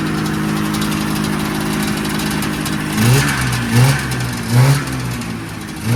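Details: 1979 Yamaha SRX snowmobile two-stroke after fuel and cooling system work and fuel pump issues, first run with cooling system hooked up: steady idle, then four quick throttle blips rising cleanly and dropping straight back; normal, crisp revving.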